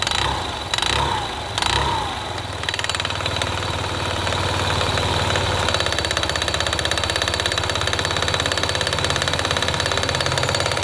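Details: Yamaha Gear scooter engine: starts, then a fast regular tapping rides over the small single's idle in time with the firing; engine knock of unknown origin.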